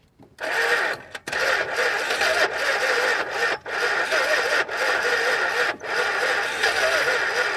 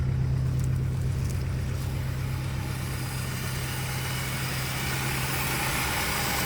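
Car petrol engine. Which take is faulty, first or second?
first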